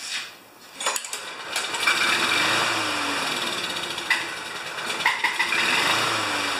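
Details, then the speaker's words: Murray mower with Briggs engine, not run for about 10 years, just revived: rough uneven running with heavy loose clattering "death rattle"; no blade slack, owner wants to check the flywheel key — engine rattle, cause unclear. "I want to check the flywheel key because the engine has such a heavy death rattle it doesn't sound like it should"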